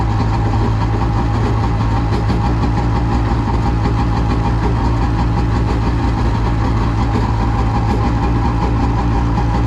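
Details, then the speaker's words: Polaris SL750 two-stroke jetski at 38°F on a lake, previously dead battery, now starting without starting fluid: steady even burble at idle with no misfires or stumbles; normal idle. "the battery was pretty much dead on this thing it wouldn't it wouldn't spin it over at all and now it starts just fine on its own with zero starting fluid just fires right up"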